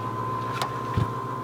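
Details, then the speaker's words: Nissan S14 at key-on, engine not started, after installing a Walbro 255LPH in-tank fuel pump: a steady high hum near 1 kHz over a low drone, the new pump priming normally. "all right well I did it correctly should hear the fuel pump priming right now"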